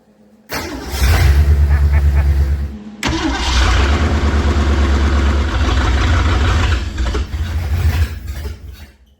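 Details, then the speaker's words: 1970.5 Ford Falcon (Torino) V8 barn find, sat 29+ years with a previously frozen engine, fuel poured in carburetor: starter churns evenly, pauses, then catches into lumpy steady run; slow to start, owner suspects fuel pump pickup delay. "Or not. Let's see what happens. Let's try it again. I think we're not getting fuel."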